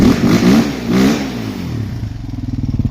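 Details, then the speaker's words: Suzuki LTZ400 quad after top-end work, valve check and timing: two crisp revs climbing and dropping cleanly, then even, steady single-cylinder thump; earlier noise gone, revving out well, no smoke, healthy. "But I don't really hear that noise now. So it sounds pretty good. It's revving out really well."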